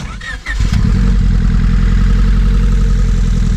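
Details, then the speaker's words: Honda Civic with flex-fuel injectors, sitting for years, starts and settles into a lumpy idle with a steady exhaust stumble: dead miss on one cylinder, found by pulling injectors one at a time. "can probably hear it on the exhaust she's got a dead miss"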